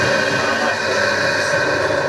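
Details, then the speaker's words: Air cooler fan motor running; steady rough grinding hiss with a faint whine, no rhythm change; worn motor bearing, to be replaced. "की तरह इसकी bearing खराब है दोस्तों"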